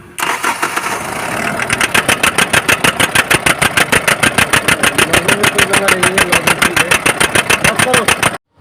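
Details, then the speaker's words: BS4 common-rail diesel vehicle, codes P171A/P1B87: after starting, engine chops on and off in hard regular bursts, about three per second, steady cut-cut-cut; injectors checked fine, rail pressure sensor fault suspected of cutting fuel control. "तो यह common rail Fisher है Fisher अच्छा से बन नहीं रहा है इसलिए साउंड कट कट कर रहा है"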